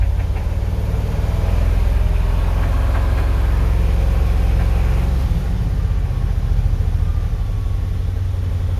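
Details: 1978 Ford F250 carbureted V8, warmed up a few minutes, restarted for a Sea Foam treatment sprayed into the carburetor: a loose, uneven low rumble with a lumpy beat at fast idle, running a bit rough before settling to idle.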